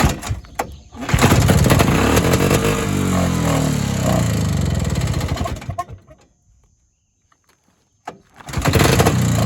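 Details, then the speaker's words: Evinrude Bobcat 25hp two-stroke snowmobile, sat 20+ years, recoil start with fuel shot: fires, runs unevenly about three beats a second, fades and quits, barely restarts; owner suspects an air leak or hardened carburetor diaphragm. "So, I'm suspecting either air leak or that diaphragm that was hard in the carburetor's probably giving us trouble and I'll need to get a kit."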